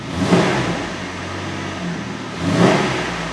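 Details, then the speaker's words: 2009 Jeep Wrangler 3.8L with P0204 injector circuit and misfire codes, check engine light on: two quick throttle blips climb and fall back cleanly with no stumble; smooth revving, no misfire at this moment. "you can see the lights on but it sounds smooth hear that it sounds smooth when we rub it"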